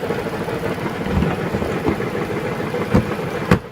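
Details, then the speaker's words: Chrysler minivan engine running, heard at the car and on lift: irregular heavy knocks, crunchy clunks over rough running, loudest on load changes; rust at the inspection cover points to a cracked flex plate (flywheel). "I can tell from the little rust right here I can tell already that it's probably uh the flywheel pro"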